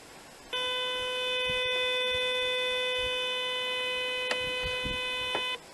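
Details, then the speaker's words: Nugelec type 2B fire alarm panel demonstration case, alarm triggered: line sounder gives a single steady, fairly high tone for about five seconds, kept moderate at 30–45 dB by a small resistor; normal sounder activation. "donc j'ai voulu expliquer en fait ici j'ai mis une petite résistance histoire que le son soit pas trop fort donc ça m'arrive à 30 45 décibels"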